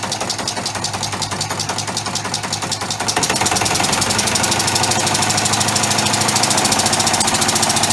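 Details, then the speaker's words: Homemade orbital compressed-air engine, push-pull valve, only one of three cylinders connected: rapid uneven clatter of ticks growing louder and quicker after about three seconds; sloppy running on one cylinder, won't self-start unless positioned right. "anyway it's a little bit sloppy because it's only got one cylinder on but it does run even with one cylinder so I'll show you that"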